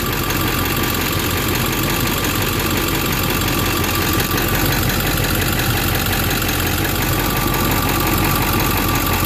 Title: What's that knocking noise on my 7.3 powerstroke